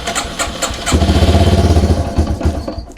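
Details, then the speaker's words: Yamaha TW200 single with an intake boot vacuum leak, started on stage 1 choke. A few cranking puffs, then it catches and runs fast and uneven; the vacuum leak causes a high idle. "So it wants to start there because we're giving it more fuel. But notice how the engine speed was a lot higher."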